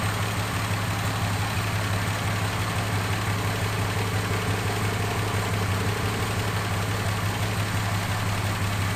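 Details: 1976 Ford Capri Ghia, carburetor fuel leaks fixed and engine warming: steady, even low idle with a smooth beat and no misses; fuel system good, but tune not yet confirmed spot on, vacuum systems not working.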